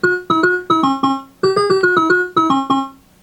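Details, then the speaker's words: Bally Playboy pinball machine self-test sound test after solenoid test: clean, bright repeating notes with no crackle, hum or dropouts; sound board working normally. "the solenoid is tested next is the sound test"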